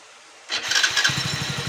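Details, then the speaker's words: Hero HF Deluxe BS6 motorcycle after washing a carbon-clogged throttle body (nozzle, oxygen sensor, plug checked fine), which had caused stalling after start: starter catches at once and settles into an even steady idle, no longer shutting off; normal start and idle. "দেখো এখন আর বন্ধ হয়নি, আর টিনিংও সহি আছে। তাহলে আমাদের সমস্যা ছিল এই যে সেটেল বডিতে জাস্ট অনেক কার্বন ছিল, তার জন্যই প্রবলেম হচ্ছিলো গাড়িটা।"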